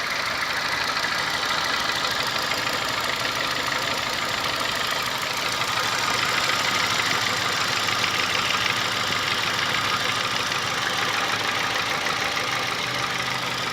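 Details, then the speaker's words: Honda Fit gasoline engine: a sharp regular tapping, about three per second, with a bright clatter over a steady idle, likened to a diesel Kombi or an old sewing machine; it lessens slightly once warm. The car went to a workshop, cause not yet known. "motor a diesel. Na hora que esquenta, diminui um pouco, ó."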